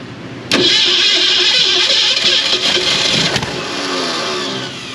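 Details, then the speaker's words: Abandoned 1967 Ford Mustang Fastback small block V8 with two-barrel carburetor, first start after recovery: catches with a sharp burst, then runs rough and stumbling; misfire, with firing order suspected but not confirmed. "Got a pretty good misfire there, Rich. Yeah."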